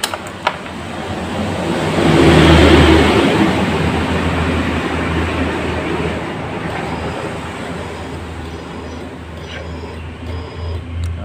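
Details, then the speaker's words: Yamaha Jupiter Z1 with a new starter motor cranks slowly, the labouring whirr swelling and fading without firing, as if the battery were flat; the battery is new, and the relay is suspected. Weak starter crank. "bisa didengar suaranya seperti kehabisan Akiya Padahal di sini akhirnya baru tapi motor ini seperti kehabisan nakia saat kita starter"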